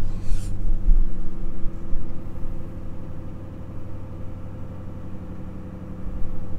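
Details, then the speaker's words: 2006 Mustang GT V8 after installing MSD Blaster coils and Champion 7989 plugs to cure intermittent misfires: first cold start in sub-zero weather. Low, even idle with no stumbles, smoother than before. "so of course because the engine is super cold we are going to have to let it sit for a little bit uh which is good lets me you know see how it idles and see how the car warms up if it's proper and whatnot um but so far it seems really good definitely seems it definitely seems smoother than before"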